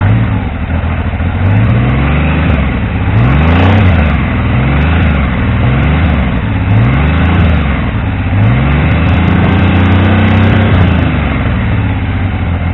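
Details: Triumph T150V triple after head and cylinder rebuild to cure oil leaks, now leak-free: idle broken by repeated even blips, revving cleanly without knocks or misfires; oil pressure about 70 psi revving, 40 psi under 2000 rpm; normal running.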